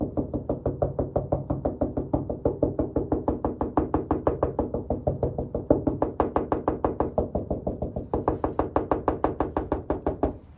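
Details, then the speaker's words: Honda CRX front end after dent removal, hand tap test on sanded panel: taps about three a second, some duller and deader where Bondo body filler is built up thick, more filler than preferred since no welding possible. "So it's completely flat. It's actually not too bad. Bondo is a little thick in this area."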